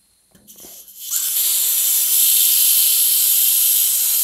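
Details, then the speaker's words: Old second-hand Airmaster air compressor: a sudden, steady high hiss holds for over three seconds then cuts off, air escaping at the tank drain valve; owner suspects a worn washer/O-ring, possibly limescale or corrosion, not confirmed. "the poor drain valve seems to just constantly leak and hiss but I mean to be fair that's probably just a dodgy washer just a well the O-ring or whatever it is"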